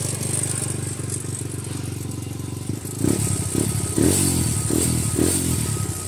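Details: Grom with newly installed Nibbi PE22 carb on stock settings; small single fast, erratic ticks with throttle blips over street noise; idle too high, suspected to need a smaller slow jet, not confirmed.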